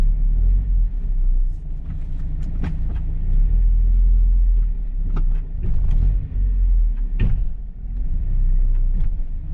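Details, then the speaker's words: Mazda Miata rear end on test drive: sharp metallic clunks over low road rumble when clutch let out aggressively, backlash from possibly worn differential gear teeth leaving play. "oh yeah that big metallic clang some sort of backlash in the system either worn out gear teeth basically leaving play and gives you that clunk"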